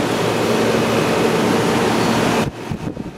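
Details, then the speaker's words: Hotpoint/GE Quiet 8,400 BTU air conditioner after cleaning and reassembly: a steady, even rush of cool air from the fan with a faint low hum, giving plenty of airflow. It is running normally; the filter is deteriorating and is due for replacement. "nice and cool lenty of air flow through here that's good"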